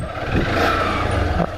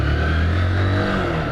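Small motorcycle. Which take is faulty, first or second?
first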